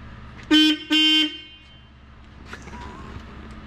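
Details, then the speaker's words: 1970 Plymouth Superbird horn, powered directly with a probe. It gives two short, clear, buzzy beeps, each about a quarter second. The horn itself works but not from the normal circuit; a blown fuse is suspected. "There it is. There it is. Meep meep. I even gave blood. Oh. Sacrificed blood to it. Oh no. So it works."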